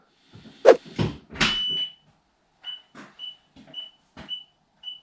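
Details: Aftermarket eBay reversing sensors just fitted to a 2006 Mini Cooper R50 rear bumper, buzzer wired in, first test: five clear high-pitched beeps about half a second apart after handling noise; sensor buzzer working properly.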